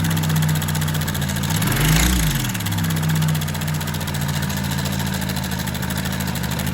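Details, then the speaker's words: Honda motorcycle single-cylinder with engine noise: light rapid ticking chatter over an uneven idle with a brief blip; cam chain found loose; lubrication also seems low, oil pump to be checked. "De cara, pessoal, já verificamos que a corrente de comando tá folgada, ó."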